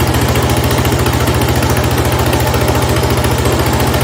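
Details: 1970 Cub Cadet 127 garden tractor single-cylinder engine after head gasket replacement, restarted, steady even thump at about 214 beats a minute, no misses or knocks; normal healthy idle, runs pretty good.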